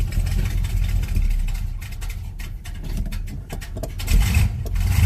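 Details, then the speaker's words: Monte Carlo cold start, idling before fuel filter change: uneven surging idle that sags and wavers; owner suspects fuel filter clogged by debris stirred up when tank was dropped, or failing fuel pump. "just to back it up it's not running right at all goes I hope it's not anything too major"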